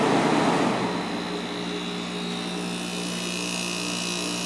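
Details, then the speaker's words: Fedders 7500 BTU window air conditioner with a Rotorex compressor, cleaned, fan shut off so only the compressor is heard: steady low hum with a faint even buzz, no rattle or knock, quieter than the other unit; normal compressor running. "definitely quieter than the other one"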